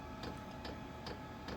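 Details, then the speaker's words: Japanese diesel heater after 20 days of use, running on setting 3 at about 80°F: soft even tick about every 0.4 seconds from the fuel pump over a steady low hum, running sweetly with no diesel smell or fumes. "which is on number 3, but you can hear it ticking over sweetly, not a problem, no smell of diesel, no fumes or nothing,"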